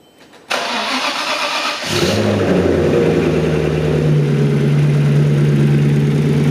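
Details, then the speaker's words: Maserati 3200 GT twin-turbo V8 of doubtful mechanical condition, cold start: starter catches, fast cold idle with light mechanical chatter; owner hopes it is timing chain noise rather than valves. Source unclear. "nó tạo ra tiếng ồn dây chuyền tốt... nó tạo ra tiếng ồn tốt nhỉ hơn cả việc điều chỉnh van?"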